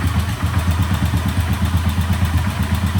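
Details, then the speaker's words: 1967 Sears Super 12 garden tractor with an engine swapped in from stash, new muffler, first start on gasoline: even, steady low thrum at idle with regular pulse, no knocks or rattles, not too loud; normal running. "Probably because that's Oh, it's a new muffler. Oh, yeah. That sounds really good. It's not too loud."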